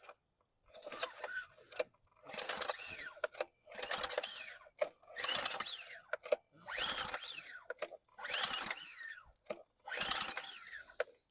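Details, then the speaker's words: 2020 Ryobi RY802900 pressure washer (2900 PSI, 2.3 GPM, Ducar engine), found left outside and hardly used, with clean oil and a trickle of hose water through the pump: seven or so rope pulls give brief dry spins with no firing, and the owner feels little compression. "Doesn't feel like it's got compression. How could that be so?"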